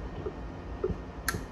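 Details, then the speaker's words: Lakoni 120e inverter welder after repair (PWM IC, optocoupler, diode replaced; soft-start resistor jumpered with wire): quiet background, then a single sharp click at switch-on as the soft-start relay pulls in; welder powers up normally. "tak, suara relay soft start on, sudah nyala ya."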